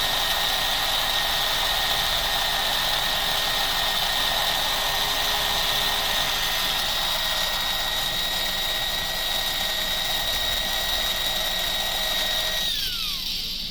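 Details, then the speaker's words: Car after pinion replacement and motor plate work, brushes in good condition: steady high-pitched whine with raspy edge, then winds down; tire not seated correctly, rubbing on the rear post; crown gear still suspect. "That noise was it not sitting on there correctly. The tire was rubbing on the post in the back."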